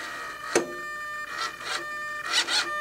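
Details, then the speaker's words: Rudder servo on SIG Kadet LT-40 RC aircraft: short whirring bursts with a strained buzz between them as the servo arm hits the pushrod; servo binding. "okay you hear that listen for the mind right here that's the servo binding and what you see is is that this part of that arm is hitting the rod right there"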